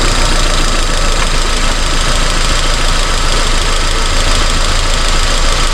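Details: 2002 Honda Civic with codes P0300–P0304 and spark plugs about a month old: rough, uneven idle stumbling about every second. The misfire followed the swapped coil, so the coil pack is faulty; four new ignition coils fitted.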